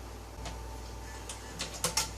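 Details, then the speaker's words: Replacement CD drive for a 1998 Nissan Pathfinder BOSE radio with a 'CD Err' fault, bench-powered in the 2000 I30 radio it came from. Quiet clicks as the disc loads, then a faint steady whir as it spins up and reads. Normal CD load and spin-up. "this actually hear it's spinning up reading and it actually"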